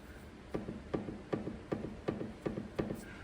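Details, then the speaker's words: BMW 730Ld long wheelbase on a ramp: sharp regular clunks about twice a second as the anti-roll bar is rocked, from a worn drop link joint; knocks over bumps while driving. "can you hear that so all that is is inside here the joint is now just worn away and as it's going over the bumps with the weight of the car on there there's obviously a lot more Force involved so the knocking noise is a lot louder"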